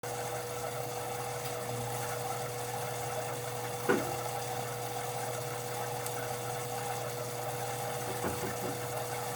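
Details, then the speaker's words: Whirlpool WFW75HEFWO front-load washer: steady hum with dull thumps as the drum switches direction while washing, caused by a loose motor mounting. "when it was washing and switching directions there was a little bit of a a thud and I think we have some video of that"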